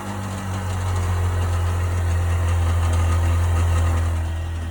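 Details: 1998 Sea-Doo GS 720 at idle: low, steady droning with a faint, even pulse underneath; abnormal noise, cause unknown.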